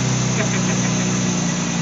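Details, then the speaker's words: BMW Z3/E36 petrol engine idling during an oil change: low, slightly uneven rough idle because the open oil filler cap creates a crankcase (PCV) vacuum leak. "cars are real sensitive didn't like the fact that i had the oil cover off of it so it started running rough because it detected a leak in the engine"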